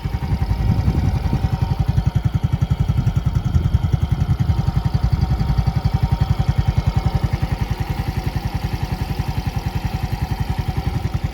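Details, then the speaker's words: Yamaha Gear Ultima scooter at idle right after an oil change to Idemitsu IRG 3 Matic 20W-40: even, steady low pulses with no knocking or rattling; sounds normal, fresher, similar to Yamalube. Normal healthy idle. "Normal aja sih suaranya dan enak ya baru ganti oli itu rasanya ee gimana ya? Kayak segar aja gitu suaranya. Kayak lebih enak aja gitu kan."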